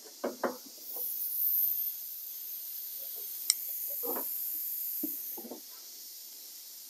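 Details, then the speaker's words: M38A1 Jeep leak-down test, engine off, cylinder at top dead centre on compression stroke: faint steady airy hiss with a few handling knocks; about 85% held, 15% leak-down, normal even for a new engine. "expect to see yeah 10 to 15 league leaked down anyway even on a brand new engine so that puts that cylinder right about where you expect it"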